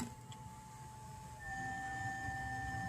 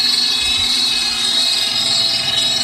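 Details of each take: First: Dolphin S 300i pool robot that won't move, previously repaired for a seized motor bearing: even motor hum with a thin whine stepping up, impeller moving air, but the drive takes no load; owner suspects something slipping, possibly loose parts skipping. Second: Dolphin S 300i pool cleaner after a temporary fix for a slipping drive, guitar pick in place while the gear is on back order; steady high motor whine with even drive noise, no skipping or grinding, runs normally both directions.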